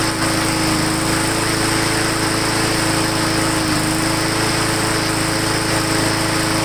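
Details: Lawn mower after bending throttle linkage back, air cleaner refitted, Seafoam in fuel: steady, fairly even buzz with clear tone, slight initial surge now fading; normal running.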